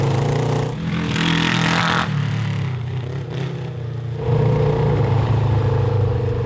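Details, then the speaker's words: Honda CB750 750cc cross kart back on factory jets with homemade air box: pulls steadily, then stumbles and sags raggedly under heavier throttle; fine at half throttle or below, breaks up above; air box suspected. "it's fine as long as you're like half throttle or below"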